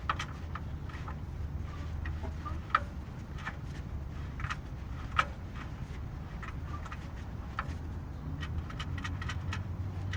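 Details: Honda Fit at idle: steady low idle with light, uneven clacking ticks a couple of times a second from the AC compressor clutch; AC compressor clutch knock.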